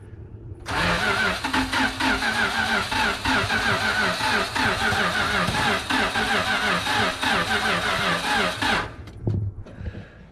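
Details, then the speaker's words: 1974 Dodge W200 318 V8 carbureted, first start attempts: catches and runs rough about eight seconds then dies, only fires when fuel poured in; stalls after start, suspected no fuel reaching carburetor. "when it cranks it doesn't sound like it the only time it fired was when i put fuel in it"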